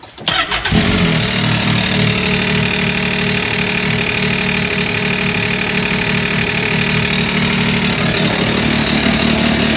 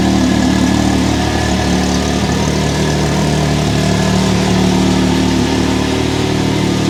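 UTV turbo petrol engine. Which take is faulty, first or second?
first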